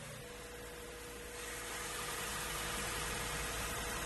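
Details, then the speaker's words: 2017 Lexus RX350, 2GR-FKS V6, 130,000 miles, started right after replacing the overdue serpentine belt with a new Bando OE belt: even, quiet idle with a steady hum and no squeal or chirp; the belt drive sounds smooth and healthy. "Perfect. There's no squeaking noise. All sounds good and smooth."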